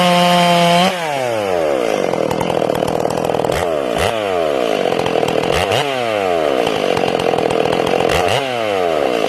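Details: Ported Stihl MS461, first break-in cuts, carb tuned a little rich: the saw screams at high revs, then the note warbles and stumbles as it enters and leaves the cut. This four-stroking sound comes from the limited coil capping RPM.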